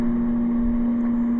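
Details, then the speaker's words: Air conditioner run on solar through a small inverter, on cool with energy saver: steady low electrical hum under the fan rush, louder on high than low; blowing cold, hum probably from the inverter power. "I can feel the cold air here so it is actually working but you'd like to say you can actually hear the home"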